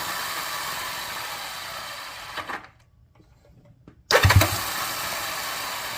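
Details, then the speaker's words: 1978 Honda Twinstar CM185T revival after cleaning points for a weak spark and priming, choke on; cranks in bursts with pauses, never catches; no fuel reaching the engine. "No getting any fuel to it. We got the choke on."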